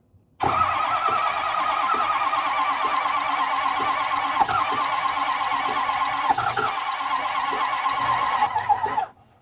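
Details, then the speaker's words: Ford 6.0 Powerstroke diesel, non-running, building high-pressure oil, cranked off starter cable with ether: about nine seconds of even, fast cranking with no catch; spins freely but never fires, oil dripping from engine. "Huh. That was quite a bit of ether and she still didn't want to run."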